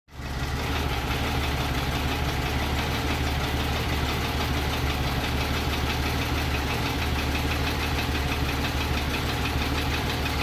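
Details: Mercedes M104 engine after a full rebuild, second start: steady idle with an uneven knocking at roughly three per second running through it; rebuilt engine knocking, cause unknown.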